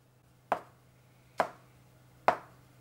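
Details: Tile tapped after a hollow-sounding, poorly bonded tile was re-glued by injecting epoxy resin through the joint and letting it dry 24 hours: three crisp, short taps dying away fast, now a solid, well-bonded tile.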